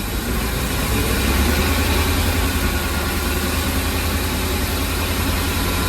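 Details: Ford E-350 van engine at idle: a heavy, low, uneven loping rumble of about three beats per second, and the engine shakes without a clear single miss. There is no misfire code, and the cause is unknown.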